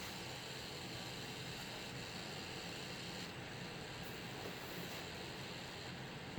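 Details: Alienware Aurora R7, 850W PSU, noise only when the GTX 1080 reference graphics card is under gaming load: steady hiss with faint high-pitched whine from the power supply; cause undetermined.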